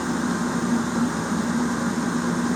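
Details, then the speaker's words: Chinese diesel heater in a garage, just fitted with a 15L fuel tank replacing a leaking 10L tank, connections checked for leaks: steady, even hiss and low hum with no knocks or misses; fuel pump running well, normal operation. "the pump's running pretty good so I think we're good to"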